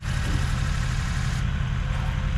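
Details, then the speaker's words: Ford 6.0 Powerstroke diesel, first start after six-month rebuild, system not yet purged: smooth deep steady idle with no misses, knocks or hunting; healthy normal idle. "I'll tell you right now, it sounds healthy."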